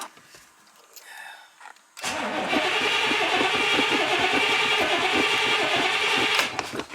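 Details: Austin Healey after alternator fitting, in park with brake on: engine cranks briefly, catches cleanly and settles into a steady, even idle with no misses or knocks; ignition warning light goes out, charging, good oil pressure.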